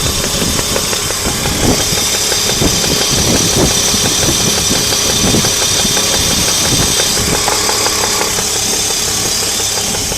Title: Alpina Roadster - engine knocking gets louder